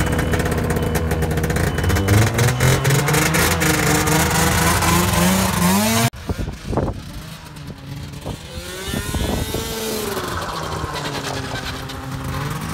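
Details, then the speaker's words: Arctic Cat Pantera 580 EFI snowmobile being repaired for not shifting into forward, test ride: in forward a hum rises into a high screech as speed climbs, while reverse runs clean and smooth; track checked and not too tight, cause unknown; humming screech in forward. "that noise is going in forward but it's running nice clean and smooth and reverse"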